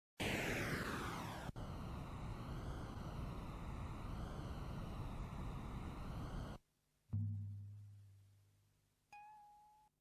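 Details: Brand-new old-stock Type 2 metal cassette tape with soft binder syndrome, recorded at 0 dB before treatment: harsh, smeared playback with wobbling pitch as sticky tape drags unevenly past the heads; fixed later with silicone dry lube.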